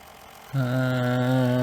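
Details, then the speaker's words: Fisher CR-W35T double cassette deck with replaced belts and no right channel: a steady harsh motor hum on spin-up. The motor is suspected bad. "Oh, that sounds like the motor's bad. That sounds like the motor's bad."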